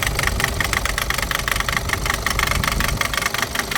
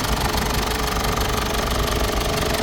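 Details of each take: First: Mazda BT50 / Ford Ranger diesel, hard starting with slow rail-pressure build-up before start: sharp metallic knocking at idle, about four raps a second, likely faulty injectors, which were removed for testing. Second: Mazda BT-50 / Ford Ranger common-rail diesel after injector repair and adjustment for knocking and hard starting: steady idle with an even clatter, no heavy knock standing out; normal diesel idle.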